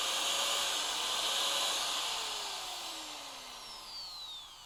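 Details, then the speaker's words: Bosch GBM 320 corded electric drill, old and heavily used on glass and stainless work, after repair: steady high whine at full speed, smooth coast-down, no burning smell, slight sparking normal; motor runs normally. "ปกติแล้วนะครับตอนนี้ไม่มีกลิ่นแล้วนะครับจะเห็นไฟแลบอยู่นิดๆนะครับอันนี้เป็นปกตินะครับ"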